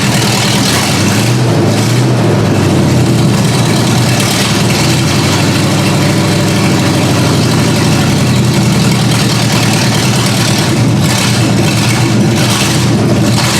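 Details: Ford Granada V8 after sitting, open headers, idle speed raised and mixture screws backed out: loud lumpy idle with uneven hunting beat, struggling to hold idle; fuel mixture suspected, unconfirmed.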